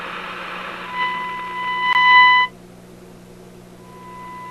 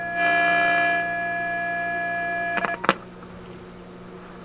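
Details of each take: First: Simplex antique vacuum tube radio, strong signal-generator signal into antenna on shortwave near 17 MHz, after probing a 6A7 pin; clean, steady test tone in clear bursts, quiet hum, no crackle; normal audio output. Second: Antique Simplex vacuum tube radio with a 6A7 tube, being retested with test equipment: the test tone sounds harsh and buzzy because the input is overdriven, then clicks as the power is turned down.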